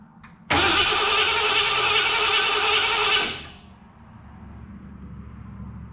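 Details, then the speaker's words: 1986 Ford F250 351 Windsor V8, brief starter tap after ignition switch checks: starter spins smoothly and evenly for about three seconds with no screech or grinding; previous starters had sounded bad, now sounds normal. "so now i've checked it i even gave you guys a little tickle on the starter just so you could hear it actually sounds like a ford now"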